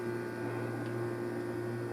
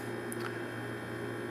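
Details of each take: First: GE refrigerator not cooling while freezer worked, after replacing a defrost system part: steady low compressor hum with an even evaporator fan whir, no clicks or rattles; both running normally. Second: GE refrigerator not cooling while freezer works: steady low electrical hum with faint tone, no fan airflow; evaporator fan motor gets 117 volts but won't run, failed, to be replaced.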